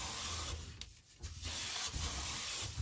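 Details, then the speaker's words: Clifton No. 5½ hand plane with a fresh blade set parallel and the sole waxed: repeated smooth hissing strokes with clean starts and stops, no chatter or skipping, shaving from the blade centre. The blade is cutting sweetly. "oh yeah see center right at the center blade uh nice fresh"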